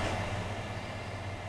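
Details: HP Pavilion G7 laptop showing a 90B system fan error, fan felt rough when turned by hand: steady, even whir with a low hum underneath, no rattle or catch; fan spins up normally and no error appears.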